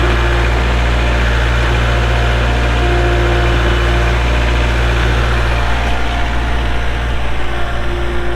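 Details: A 2023 Kubota L4701 gear-drive tractor with a 47 hp diesel and only 98 hours idles with a steady, even clatter and no knocks or misses. It sounds healthy.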